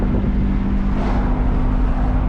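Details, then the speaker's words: Rebuilt Copart Nissan Altima cruising with a low road rumble under a steady droning hum; the owner suspects a worn wheel bearing, while another person says it is tire noise, so it is undiagnosed. "I don't know, can y'all hear the wheel bearing?"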